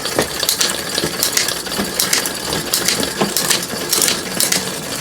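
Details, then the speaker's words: Orange Five mountain bike after rear triangle change: fast metallic scraping and ticking each wheel turn as the rear disc runs through the caliper, which is still loose on the frame. "that noise that you can hear is the actual disc running through the caliper because it's still loose on the frame"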